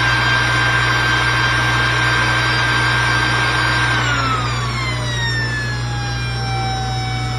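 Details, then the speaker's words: New SainSmart GS-775M spindle (rated 20,000 RPM at 24V) on a Genmitsu 3018 Pro: a smooth high whine holding steady, then easing to a lower even tone as speed drops; it runs clean and healthy. "Wow! Oh, that's really moving."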